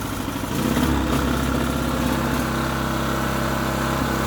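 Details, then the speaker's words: Clark 700 watt generator that ran fine when stored months ago, started on choke; engine runs but speed rises and sags unevenly instead of settling; surging, cause not yet known, to be stripped down. "I just got it going, put it away, all working fine, got it out, and we've now got quite a surge."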